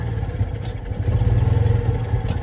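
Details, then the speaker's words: Citroen 2CV with single-barrel carburettor (varnished, rusty float bowl), on flat ground: low, uneven two-cylinder idle that sags and surges and won't hold steady; carburettor fuel-delivery fault suspected. "doesn't want to idle it doesn't want to idle it doesn't want to idle if i go uphill"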